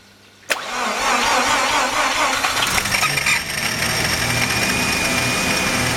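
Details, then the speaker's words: Mazda RX-7 rotary with very high CO (2.70) and misfire, cold start: catches abruptly with a peculiar noise, then settles into an uneven, hissy, shaking idle with a faint thin whistle. "It has a rug idle, it shakes a bit, and he makes a peculiar noise when I crank it for the first time."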